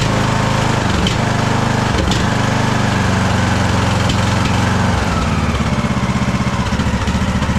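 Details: Craftsman DLT3000 lawn tractor engine, jump-started, oil level full: uneven, lumpy running with the beat stumbling and dipping every second or so. It is backfiring through the carb, among its carburettor problems.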